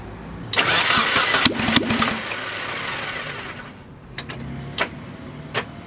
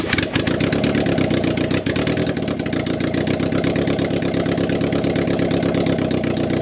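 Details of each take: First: Mazda Miata VVT engine, freshly shaved head with higher compression, first test fire after long layoff, about 118–140°F in car: starter spins hard about three seconds with one brief firing, then weak clicks; battery too flat to keep cranking. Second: Mazda Miata VVT engine first start after head rebuild with shaved cylinder head for higher compression, in 118-degree heat on a jumper pack: catches and settles into a steady, even idle with clean firing and no knocks or ticks; normal idle.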